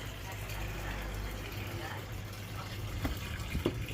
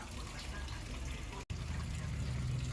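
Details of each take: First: Toshiba AW-B1000GT washing machine (code E1, overfilling) after insects were cleared from the pressure switch tube: steady low rush of water filling the tub with light splashes and no buzzing or straining. Fill now works normally. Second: Toshiba AW-B1000GT washing machine: water keeps rushing steadily into the tub with no cutoff, so it overfills. The cause is insects blocking the pressure switch tube.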